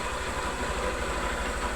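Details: 2010 Honda Fan 125 bored to 150cc, engine just reassembled after a connecting-rod noise repair, idling cold: steady, even single-cylinder putter with no ticking or knocking; healthy, smooth-running engine.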